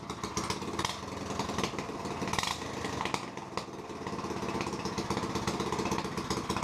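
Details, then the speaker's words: 2006 Yamaha YZ85 dirt bike with swapped Harbor Freight Predator 212cc engine: loud raw rapid crackling bark flaring with throttle blips; running with no exhaust or muffler fitted, exhaust not yet arrived. "we're definitely gonna need to get an exhaust the exhaust didn't come in time either if you couldn't tell"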